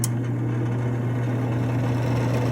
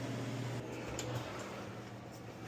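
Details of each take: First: Double oven convection fan motor: a steady low drone with a gritty, rumbling edge from rough bearings, meaning the motor needs replacing. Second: Frigidaire Professional double oven after convection fan motor replacement (old one had rough bearings): low steady hum with faint even whir, no scraping or ticking; new fan runs smooth and quiet.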